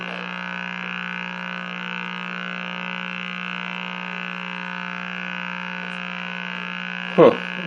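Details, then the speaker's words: Meck XB-702 vintage TV: steady low hum-buzz with nasal edge coming through the speaker, unaffected by volume control, while picture is good; audio buzz, owner thinks cause is something basic. "be that sound has got to be something real basic i mean the volume it doesn't respond to the volume control it's just a persistent wow"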